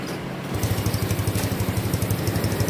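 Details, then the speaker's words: Engine remapped with a 54 bore and J145 injectors, rev limit raised to 11,500: starts easily and settles into an even, steady low idle with no hunting or misfire, a clean, healthy idle. "สตาร์ทง่ายเดินเบานิ่งๆแต่คันนี้ไม่มีหอบไม่มียิงนะนี่สตาร์ทง่ายเดินเบานิ่งๆเดินเนียนๆเลย"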